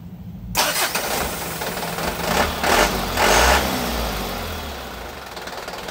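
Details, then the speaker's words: Diesel that kept stalling from air in the fuel, started right after the upper diesel fuel filter was replaced: it cranks briefly, catches at once and settles into a steady, even idle without stumbling; normal start. "udah langsung bisa hidup"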